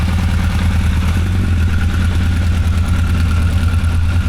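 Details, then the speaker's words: 1985 Honda CB1100F after 20 years stored, carbs cleaned, new gas, choke stuck open, fuel leak present: restart, starts right up with an even low idle burble, steady beat, no ticking or stumbling; idling fine. "Start it up. Starts right up. No problem."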